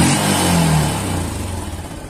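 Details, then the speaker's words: Yamaha Jupiter MX single-cylinder after engine rebuild with a cheap replacement piston, previously rough, noisy and smoking white; revs up and eases down smoothly with no knock or piston slap, sound markedly better; normal running. "Suara mesinnya sangat berbeda. Meskipun ini menggunakan piston yang sangat palsu, seperti piston yang sangat sederhana ."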